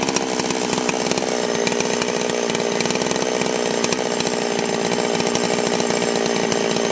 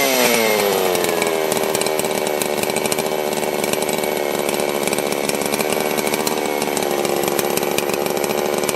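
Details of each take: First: Holzfforma G660 Pro chainsaw, about 15 tanks through it, after an ignition timing advance and air filter baffle removal; screams at high revs with sharp popping and crackling as revs fall back on deceleration. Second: Holzforma G660 Pro chainsaw after a timing advance: screams at high revs, then pops and crackles as revs drop off throttle during deceleration.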